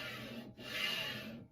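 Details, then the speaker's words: Newly assembled Prusa i3 MK3S+ 3D printer Y-axis carriage slid by hand: dry, raspy scraping rises and fades with noticeable resistance; Y carriage rubbing, owner plans to loosen frame nuts and check belt tension. "i'm not 100 happy about how much resistance there is when i'm moving it and how loud it is so this is what it sounds like"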